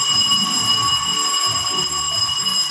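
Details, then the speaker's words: Radiante no-frost refrigerator after repair of a damaged thermal fuse, board tested with a bell wired to the defrost heater leads: steady high bell rings continuously as defrost starts, draw 0.90; normal defrost cycle, every 6-8 hours. "Estamos esperando, a la espera, cualquier momento nos va a pescar, pero sí tenemos la campanilla y lo vamos a escuchar."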